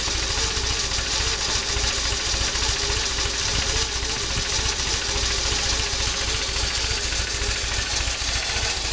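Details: Toyota 22RE idling warm: uneven, loping slow idle with irregular pulses, sometimes dying at stops; good cold idle, began the day after Seafoam in throttle body, distributor and terminals since cleaned. Cause not clear.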